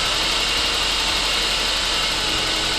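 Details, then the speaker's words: Saab 9-5 Aero restarted after sitting several years, new battery and oil change: even, steady idle with a smooth hiss-heavy drone, slight valvetrain noise at start, quieting as it warms. Normal idle. "When she's running, I need some new hood struts. She sounds pretty good. She's quieting down too."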